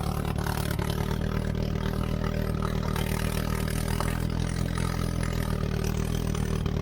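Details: 1970s Turner Ranger tractor, 1098cc A-series Mini engine after timing and leaner mixture adjustment, vacuum advance refitted, half exhaust, on a test drive: steady, even note, no knocks or misses; running sweetly, though it got hot.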